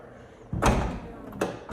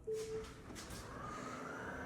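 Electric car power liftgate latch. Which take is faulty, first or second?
second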